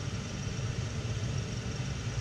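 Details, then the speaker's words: 2012 Jeep Wrangler JKU cabin blower before motor replacement: steady low hum and rumble under rushing air hiss, with a slight chirp; blower works but is noisy, motor suspected rather than resistor, not confirmed. "you know but it is noisy you can hear it it's yeah so you can't hear it it's it's working now it seems it's blowing air"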